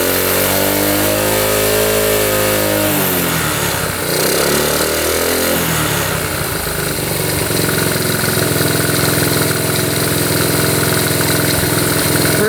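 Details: 1972 Honda CT70 single, bought at auction with a bogging problem, settles from fast idle to a slower even putter with a brief blip after the points were readjusted; timing F mark on the notch, idle turned down, warming up: normal idle.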